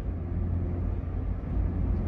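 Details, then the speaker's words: Toyota Avanza driving: low steady droning hum from the rear differential that comes on as the throttle is first pressed and disappears on lift-off, a worn differential whining under load. "Semakin kita gas ee ee mainin gas ya. Kita awal gas bunyi ngunguk lepas gas hilang. Awal diinjak gasnya gadanya bunyiung tapi kalau lepas gas ya hilang."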